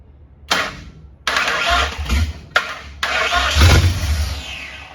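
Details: 1959 Ford wagon with standalone Lincoln Town Car EEC wiring: several short cranking bursts, turning evenly but never catching; injectors fire but the fuel pump gets no signal; inertia switch found tripped; crank no start, no fuel pump power.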